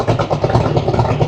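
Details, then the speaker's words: Superformance GT40 idling after coolant leak (loose hose clamp) and AC leak were fixed; deep lumpy idle with even pulses about nine a second, whole car shaking, no knocks or ticks; normal healthy idle. "Is that not just one of the coolest idles ever? Just look at the whole car shaking."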